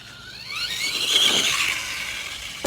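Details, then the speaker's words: Axial Ryft RC with Hobbywing AXE 3300 R2 and low gear: on a launch the motor whine climbs fast, then sags and fades as power drops out, with the ESC giving up on the launch. "okay the esc just amped out the esc just gave up on that launch right there whew that was all it had so that launch in second gear the esc literally like almost shut down"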